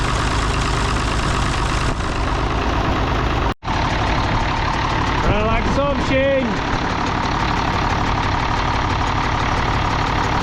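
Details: International D282 diesel in a Galion crane with a rebuilt Roosa Master DBG pump, idling cold with an uneven, lumpy chuff and a foop-foop exhaust puffing. It runs poorly until warm, and the owner suspects a burnt valve or cracked valve seat on cylinder 1.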